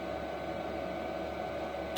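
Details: Replacement diesel heater on first test at the allotment: quiet, even fan rush with a faint steady combustion hum, no pulsing or sputter; the heater is running normally.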